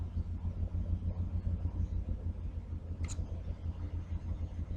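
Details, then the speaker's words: 1981 GMC C10 square body pickup at idle in the garage after adding and clamping a new exhaust pipe section: deep, even low rumble with steady pulse, no blowing or ticking leaks; exhaust sounds sealed, like a truck. "Okay. Well, there's no more rumble."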